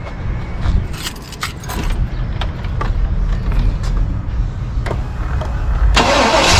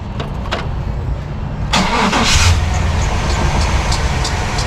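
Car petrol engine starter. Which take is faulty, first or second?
second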